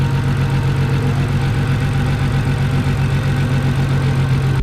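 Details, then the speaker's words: Audi S4, first start after an injector upgrade, spark plug work and an ECU tune: heavy, lumpy idle with an uneven low thump of about four beats a second that never settles; misfire at idle; owner rechecks the connections. "we definitely have a misfire. Something is very wrong."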